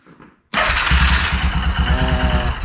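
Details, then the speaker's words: 2001 Yamaha Kodiak 400 with a worsening start-up noise despite a swapped starter: on cranking, the starter whirs and the engine turns over roughly, speeding and slowing, struggling more as it heats up. Owner suspects the one-way starter bearing is slipping. "So let me crank this over a second. That one didn't do it as bad. It did it, but not bad."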